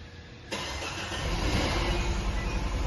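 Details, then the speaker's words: Peugeot 3008 THP engine, cold first start while monitoring high-pressure fuel pump, which should reach 30-40 bar: rough uneven run with irregular stumbles and misfires; pump failing, replaced with new. "é esse carro tava falhando bastante na primeira partida a gente reclamou que ele tava e pipocando bastante né falhando a gente tá fazendo um teste aqui agora na primeira partida dele e também estamos monitorando aqui a bomba de alta pressão né"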